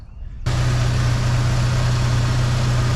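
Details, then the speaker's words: Jeep Wrangler engine thousands of miles after replacing a defective timing chain: catches and settles to smooth, even low hum with no ticking or diesel-like tapping as before; normal idle. "It's been thousands of miles now since I have changed the timing chain, and the engine's still quiet. You just heard it. It's not diesel sounding anymore, not making a tapping sound like it was before."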